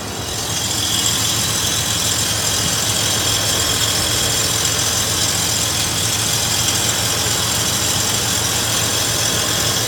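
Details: 2000 Toyota 4Runner at steady idle: harsh, gritty hiss mostly in the upper range with no clear rhythm; grinding noise of unknown cause.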